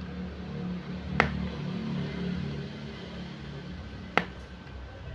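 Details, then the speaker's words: Jinbei Delicacy II Gen 1 studio flash after repair of a no-fire fault, tested at full power: two crisp, sharp pops about three seconds apart over room hum, a different "plok" firing sound than before. "Iya bisa didengarkan teman-teman setelah diservis suaranya beda ya tendangannya tembakannya beda plok begitu ya"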